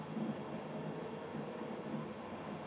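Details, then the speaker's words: South Bend 10K lathe on a VFD, first run after 5 years sitting, no programming yet: steady even hum, no surging, knocking or buzz; runs smooth and healthy. "I don't hear anything out here I'll have to check the camera but oh my goodness this is smooth as silk"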